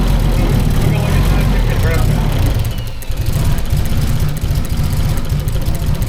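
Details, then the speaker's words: SR32 engine build on a Link ECU, first start on a base map; harsh, very loud, uneven low rumble right after start-up. The owner worried it was knocking and shut it off quickly: rough, loud running. "No, that sounds bad. What is it? And turned it right off. Try it one more time. Why is it so loud?"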